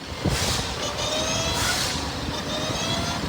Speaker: It's actually some good old transmission whine, which is a super common issue on this year of Camrys.